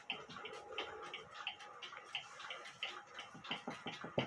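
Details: Granddaughter clock movement ticking healthily after repair: bent verge and crutch assembly (foot up in air) corrected; light crisp even ticks about ninety a minute, in beat, recorded via timing machine with amplifier.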